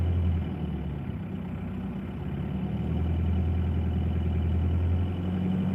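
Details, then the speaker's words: Cold engine just started, oil light just gone out, belt squealing: low drone with slow uneven harmonic throb swelling around 800–1000 rpm then settling. "But if you notice at about 800 RPM to 1000, there's a bit of harmonic rhythm"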